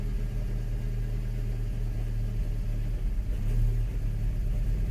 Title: Mk5 gti rough idle cold start after New front and rear PCV